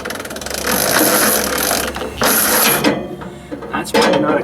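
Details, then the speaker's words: 1944 Ford 2N tractor hand-cranked slowly, ear at starter: gear whir and ratchet as the starter turns along; Bendix drive likely stuck in the flywheel, probably not thrown off after earlier cranking. "thing which means that bendix in there is stuck into the flywheel probably because when i was cranking it the other day there it didn't spin it off when the engine starts that's what it's supposed to do"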